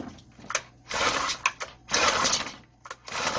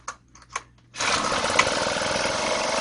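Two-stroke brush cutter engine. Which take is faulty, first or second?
first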